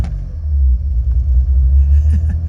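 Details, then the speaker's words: 1986 BMW 535i E28 after fixing vacuum leaks, warming up: steady low idle drone that won't settle, revs creeping up from about 1,100 to 1,600 and toward 2,000 on their own; idle control fault, cause not yet found. "I still don't know what that's about. It just keeps climbing. Okay. There's still something very very wrong."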